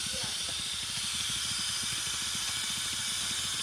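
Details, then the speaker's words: 1991 Pontiac Firebird Trans Am that overheated: a steady sharp hiss over a low engine pulse as pressurised coolant leaks from the hose to the 15-year-old water pump, which gets replaced. "Oh, it's coming from the hose. It's coming from a hose down there. The hose that connects to the water pump."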